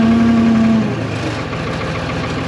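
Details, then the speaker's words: New Holland L783 skid steer diesel after priming with diesel and bleeding by cranking: settles into a steady, even idle with a faint whine at first; fuel pump wire keeps falling off and stopping it. "So my camera died partway through that last one, but it did start up, it did idle."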